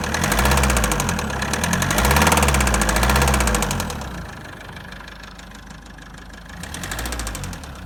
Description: Mazda 6 2l diesel engine knocking noise.